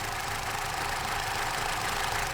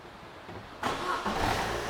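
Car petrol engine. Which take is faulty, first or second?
first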